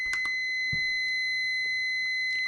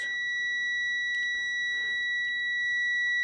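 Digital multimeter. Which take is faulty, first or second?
first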